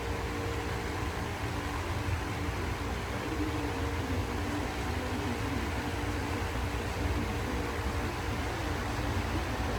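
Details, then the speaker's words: Lasko fan with replaced knob, running on medium, the only speed where it hums; steady, even low hum with a soft airy rush and startup sound, no rattle or wobble; normal motor hum, quieter than the old one. "or there you go it makes the humming sound just like I would hope it would and it has the starup sound"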